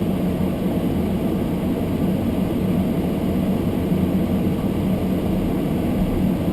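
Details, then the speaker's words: Almost-new Toyota Prius hybrid in Japan, below-freezing weather with fogged windows: demister fan turned up high blowing on windscreen gives a steady, even rushing roar, no rattle or whine; sounds louder because camera is close; normal blower. "That noise wasn't really so horrible in the car. That was the demister on the windscreen, the fans blowing on the windscreen, and the camera was really close, so it made it sound a lot noisier than what it was."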